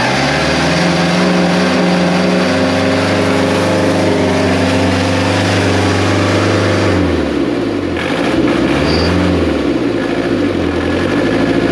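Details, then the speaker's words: 2002 JLG 86T lift diesel, after new actuator: runs clean but revs keep climbing and hunting up and down, not governed; owner suspects speed sensor, actuator didn't fix it. Engine over-revving. "sign I'm very manually it's still want to take off like a crazy machine the only other thing that could be messed up in that erand is the speed sensor"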